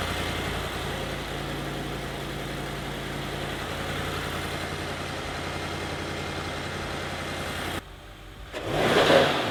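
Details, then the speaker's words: Audi S6 (C7) 4.0T twin-turbo V8 just after installing ECS Tuning turbo inlet pipes for Stage 2, first start in garage: steady, even idle with a smooth low burble, no knocks or ticks. Sounds really good. "But so far, it sounds really, really good."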